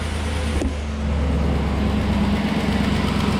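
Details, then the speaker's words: Red crew cab truck started after a quick repair using a 15 mm socket with the intake tube pulled: steady low hum settling into a smooth, even idle, with the earlier belt squeak gone; normal quiet idle. "let's start it up should be nice and quiet now no belt squeaking"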